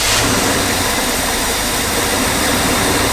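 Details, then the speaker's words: Abandoned Winnebago camper engine, long dormant, first running on its own fuel after the fuel lines fill: uneven, ragged, unsettled note, running rough, cause suspected not confirmed. "It's running on its own fuel. It's not very happy about it. Truth be told, it doesn't love it at all."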